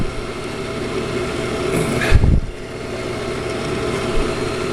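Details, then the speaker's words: Accu-Turn 8922 combination brake lathe, apparently unused, from a municipal garage, running on the disc brake portion with belt cover removed: quiet even motor hum, no knocking or grinding, one brief handling thump; nice and tight, quiet machine. "Everything is nice and tight on it. Nice quiet machine."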